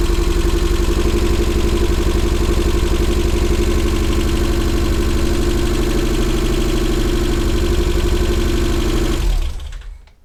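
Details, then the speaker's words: First home engine rebuild that began knocking after 75 miles of running-in, compression over 200 PSI: steady idle with a hard, even knock about four times a second from the bottom end; suspected rod knock that fixes failed to cure. "okay so here's where we are with the car uh the knock has continued everything I've TR tried has failed"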